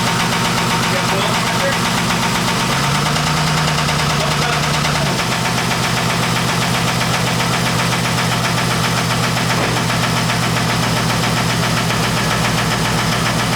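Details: Turbocharged Honda Accord at first start-up after sitting: a steady idle with a fast, even metallic knock on every beat, plus lifter noise. Feared to be rod knock, but it is the exhaust pipe/headers hitting the frame.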